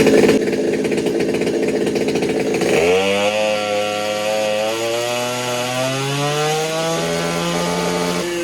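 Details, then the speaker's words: Stihl 200T clone (Holzfforma) two-stroke chainsaw with exhaust mod and advanced timing, untuned, dyno pull: screams up in pitch under load, then stutters and warbles at the top; owner suspects limiter bounce, maybe wants more fuel. "I think that's honestly just hitting the limiter a little bit there. That's all that is."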